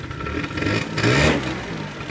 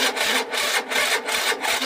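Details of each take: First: Peugeot Speedfight two-stroke scooter, back running after long work on a no-start (fuel filter): crisp buzz rises under throttle and settles back cleanly with no misfire or rattle; normal running. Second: Peugeot Speedfight scooter after a new fuel filter fixed a vacuum fuel fault: electric start attempt gives harsh rasping bursts about three a second with no firing; the starter motor is worn out, though the engine starts with one kick; faulty starter motor.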